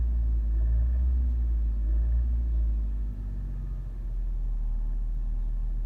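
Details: 2014 Nissan Rogue engine: deep steady knock, about four a second, under a low engine rumble; cause confirmed as connecting rod bearing run-out.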